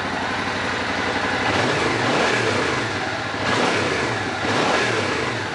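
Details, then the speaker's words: Suzuki Boulevard motorcycle revived after sitting for years, after vacuum synchronization: several quick rev blips rise and fall cleanly from a steady idle without stumbling or popping; crisp, healthy throttle response. "Nice crisp throttle response. Everything synced and in tune."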